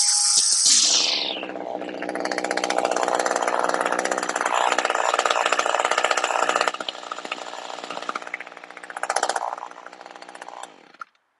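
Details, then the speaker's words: Two-stroke string trimmer with a HiPA replacement carburetor, after setting idle so the head doesn't spin; snaps up to a high scream at full throttle, then falls back to a steady idle without stalling; normal throttle response. "so the last thing you want to do is just kind of put it through a full put it through a few full throttle blasts make sure when you let off it doesn't die when it goes back to idle"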